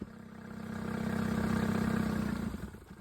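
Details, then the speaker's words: 20 hp Suzuki outboard on an O'Day sailboat, tested with forward and reverse checked: even, regular putter about four beats a second that swells and eases without stumbling; runs smoother, smooth and clean. "Outboard sounding a little smoother now. I like that 20 horsepower Suzuki. Very nice."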